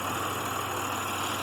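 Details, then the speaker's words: Pontiac Grand Prix with dead misfire, idling: uneven lumpy idle with steady drone and no crisp firing rhythm; unplugging coils shows no spark on one coil pack, suspected failed coil. "yep completely dead so we've got a big chance that it's going to be this coil"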